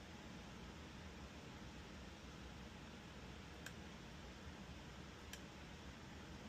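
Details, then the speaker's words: Snow blower control board relay on the bench. Over a quiet room hiss, two short, crisp clicks about 1.5 seconds apart as the relay pulls in normally, unlike the failed relay beside it. "The only difference is, as you can see, this relay is actually working."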